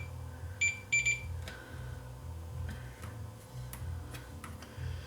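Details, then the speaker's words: Leak Delta 75 receiver, green wire disconnected: two sharp beeps from the meter, a dead short between the collector and the green wire; the transistor tests good, so the short lies ahead of it on the green wire. "between the emitter and collector we're not beeping so we have a short somewhere ahead of this transistor it's on this green wire"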